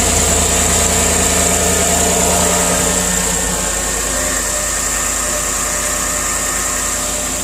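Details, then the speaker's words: Chevy Silverado V8 after an exhaust manifold leak that caused cold-start noise was fixed with new ARP manifold bolts and anti-seize on the passenger side. It now settles into an even, quiet idle with no ticking or puffing: normal idle. "all right so there you have it nice and quiet no more exhaust leak"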